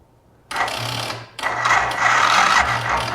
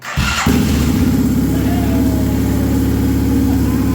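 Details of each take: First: Can-Am Bombardier Rotax DS650 whose previous owner rebuilt the top end and which now won't run: two short, sluggish, laboured cranking bursts. Compression reached about 120, but the battery is too weak and will be charged. Slow cranking from weak battery. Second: Can-Am Bombardier Rotax DS650 ATV that would not run after the previous owner's top-end rebuild, started on choke after reconnecting the crank sensor and stator: steady thumping single idle with a slightly loud top-end clatter suggesting big clearances; possibly a touch of smoke and oil burning off; recorded on a phone.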